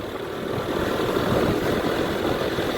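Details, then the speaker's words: Honda ADV 150 scooter, previously dying and not restarting, on road test; steady even unbroken rumble, no misses or knocks, still running normally. "Pay attention. And this motorbike is still running."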